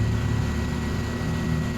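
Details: Centrix PF20 stand fan after repair of slow startup and noisy spinning: steady low hum, even unwavering drone with no scraping or rattle; fan motor runs smoothly, normal running.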